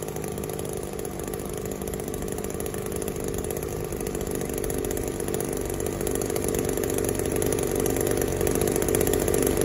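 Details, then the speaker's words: Echo SRM-280S trimmer that would not rev, after cleaning its clogged catalytic converter and warming up: two-stroke climbs smoothly, building revs with a clean steady buzz; running healthy and free. "so it's idling a whole lot better already warm up just a little bit and we'll match the throttle down"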